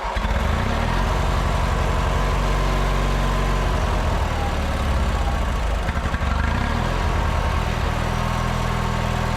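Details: Engine after a hard-start fix, with only the air cleaner put back on and fuel low in the filter: starts on choke almost at once and settles into a steady, even idle; normal start and idle.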